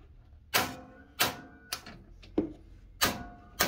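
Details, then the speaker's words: Atwood RV stove piezo igniter, after replacing the igniter wires (two burners had not been igniting): sharp, crisp snaps roughly every two-thirds of a second, each strong and clean; normal igniter sparking. "So we can see the sparks are going. Let me get the light off."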